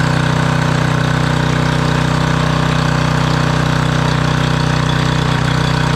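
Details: Generac 5000 W generator, Briggs & Stratton 10 hp, sat for years, running after restart: even, steady low drone with a quick regular beat and no misses or knocks; running smoothly.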